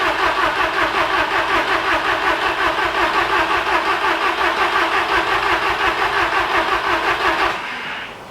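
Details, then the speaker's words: VW Golf Mk1 4Motion AWD turbo project, engine running again: fast sharp raspy puffing chuff at idle, about three per second, then engine cuts; owner finds exhaust leaking at manifold-to-turbo gasket, possibly a loose bolt there. "the um is leaking exhaust and it seems like it's between like the gasket between the manifold and the turbo"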